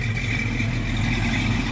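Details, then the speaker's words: 1957 Chevrolet 210 with 454 big block, headers, MSD ignition, Edelbrock manifold and carburetor, electric fan, heard from behind the car: deep, steady, even rumble with no knocks or ticks and the electric fan running; normal healthy big-block idle. "let's give it a little startup here yep sounds good you hear the electric fan running like radiator setup there"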